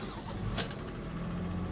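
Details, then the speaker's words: Toyota with about 300,000 miles that sat a long time at an IAA auction, started on a booster pack: the starter turns briefly, then it catches and settles straight into a steady, even idle, firing right up like it ran yesterday. "and it's fired right up it fired right up like it was running yesterday are you serious"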